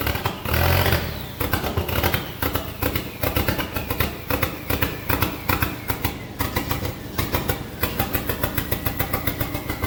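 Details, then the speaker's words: SRT-4 engine in a drift truck, first test start: uneven lumpy idle with irregular pulses and stumbles, smoky; rough running because idle air control, TPS, intake air temp and O2 sensors are unplugged. "It runs like ass because not a single sensor is plugged in. The idle air control, the TPS."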